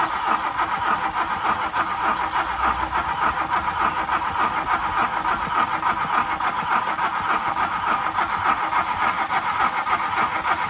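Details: MK2 Golf 1.6 Driver project, first crank on new battery: starter churns evenly but engine never catches; cranking with no spark, ignition module suspected.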